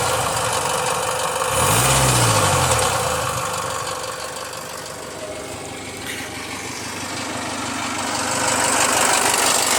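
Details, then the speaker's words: Jaguar F-Pace 204DTD diesel after owner's rebuild, injector sound deadening not fitted: even idle with loud steady injector clatter about four ticks a second, no knocks or misses; loud inside the car, owner judges it normal and running great. "so it doesn't sound terrible there but it's quite loud inside the car which is surprising"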